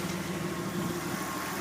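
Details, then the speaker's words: Engine idling after a power steering fluid flush and refill; the earlier whining and bubbling has stopped, steady even idle, pump quiet and system full. "There we go. That power steering pump stop whining which means it's full."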